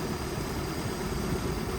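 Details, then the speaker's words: 1989 boat with OMC Cobra drive, reverse not fully engaging: low, steady rumble holding an even idle after shifting into reverse, no stumble or stalling; the engine sounds healthy. "oh yeah okay we were just went into reverse and it did not die so that is"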